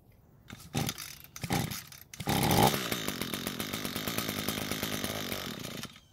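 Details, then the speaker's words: Echo two-stroke trimmer that wouldn't start from poor handling, primed with no fuel in tank: a few hand pulls, then it fires and buzzes evenly about four seconds before dying on its own; engine sounds healthy, normal running. "the engine sounds really healthy which is always a plus"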